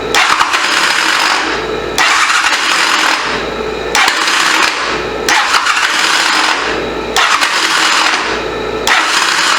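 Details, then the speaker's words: 1985 Honda CMX450 Rebel, unused 15 years, supposedly new starter clutch, good spark and seemingly good compression: repeated harsh rattly cranking bursts every two seconds without catching; sounds wrong, starter clutch install suspected, not confirmed. "That don't sound good at all."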